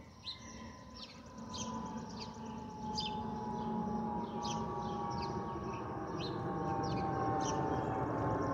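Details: Delta Airbus A320-211 N323US in flight, cabin: steady whistling tone over the cabin roar, the normal fuel overpressure protector (FOPP) whistle.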